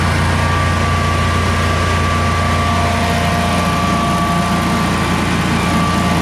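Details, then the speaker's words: Generac Guardian 16kW standby generator, refurbished after battery exploded, first test run with 3,000 W heater on circuit and shroud off (kept brief, could overheat): steady even hum, constant low drone, no misses or knocks; runs and puts out power normally. "so anyhow apparently runs and puts out power does everything it's supposed to"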